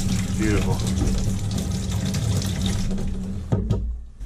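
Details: Kitchen faucet hot side on a combi boiler system, after a valve was taken apart and possibly flushed to cure air hammer: smooth, steady rush of water with no banging or hammering in the pipes; normal flow.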